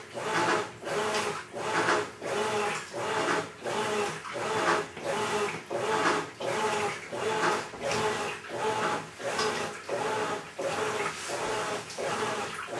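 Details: Maytag Centennial Commercial Technology washer, about 14 months old, overloaded for demo, wash cycle agitation after filling: harsh gravelly grind swells each agitator stroke, ~43 a minute, like grinding gravel; drive fault suspected, unconfirmed.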